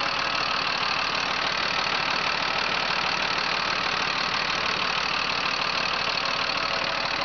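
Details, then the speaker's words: 2006 Freightliner M2 box truck, Mercedes diesel, 6-speed, just started, mic close to engine: even, steady diesel clatter at idle with no misses, knocks or hunting; starts without hesitation, smooth healthy idle, no blow-by. "As you can tell, it does not hesitate to start up. Very, very nice, smooth running engine."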